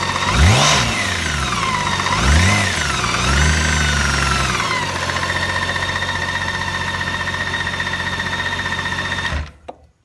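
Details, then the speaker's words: 2013 BMW K1600GTL six-cylinder, about 4,900 miles, under warranty, revving then settling to idle with a steady rapid knock throughout; the dealer notes the knock but can't pin the cause until it fails, so the cause is unconfirmed. "so you can clearly hear there is a knocking in the engine uh so I have a very expensive motorcycle that that screams down down the road knocking the entire time"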